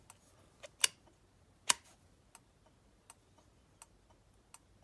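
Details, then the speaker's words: 1962 Land Rover Series 2A diesel, Bussman 550 flasher relay with Tex Magna indicator switch on bench test battery: sharp even clicks about every 0.8 seconds after a slight warm-up delay; normal flasher relay clicking. "See how there's a slight delay whenever you click it on? That's the relay warming up."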